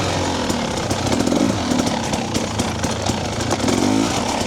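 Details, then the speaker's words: Two-stroke TBI dirt bike after a TSP ERM ECU remap, in first gear: crisp buzz pulling cleanly, no low-rpm stutter or bog; fueling fixed. "so what I noticed this morning as it transitions there into the mid RPM a lot cleaner as well to me it just feels overall more crisp"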